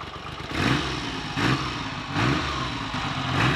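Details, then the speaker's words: Triumph Trident T150V triple started after standing over two years; the throaty triple picks up in a few quick throttle blips and settles back without knocks or misfires, running healthily. "there are only two things that can sound like that triumph tridents and bsa rocket freeze and their variants"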